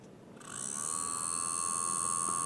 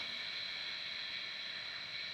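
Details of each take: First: DJI Air 2S drone before repair (damaged arm, stuck gimbal Y motor, faulty vision sensors), at power-up: thin high whine with buzzy edge holding steady, abnormal noise; cooling fan blade rubbing housing. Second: DJI Air 2S drone after repair of right front arm, left rear arm shaft, gimbal and vision, no errors: even high-pitched propeller whir, steady pitch, no rattles, scrapes or surging; normal motors running.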